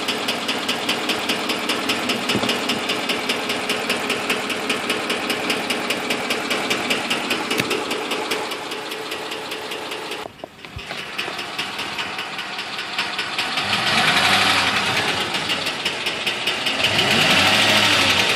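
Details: 2006 Ford F150 5.4 L V8 running: sharp, rapid, steady ticking over the engine note; appeared during a long road trip, cause unknown.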